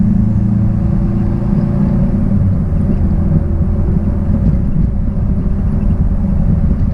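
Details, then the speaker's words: 1966 Triumph Spitfire, rebuilt 1147cc engine, driving after fuel system stripped and lines flushed: deep even drone holding steady under road rumble, no misses or knocks; normal running under load. "put it back together and she pulled nice and strong as as you saw and hopefully heard depending on my editing uh in the driving video"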